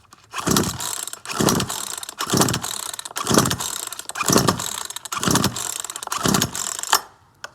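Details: Certified-refurbished Poulan Pro PR4218 42cc 2-cycle chainsaw with an 18-inch bar, choke off and throttle held. About eight rasping pull-cord strokes, roughly one a second, turn the engine over but it never fires; the saw won't start.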